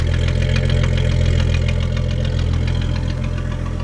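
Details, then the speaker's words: 300 inline-six idling: deep, steady idle with smooth, even firing and no knocks, misses or rattles; runs like a sewing machine, healthy. "Got a 300 inline in it, which I will have to say runs like a freaking sewing machine."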